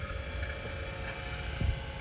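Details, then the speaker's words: Forklift A/C after compressor replacement: vacuum pump pulling the system down, target 500 microns or less, reached 235; steady low motor hum, even drone, no surging or knocking. Normal vacuum pump operation. "got the vacuum pump here turn it on we're gonna wait till this gets down around 500 microns or less"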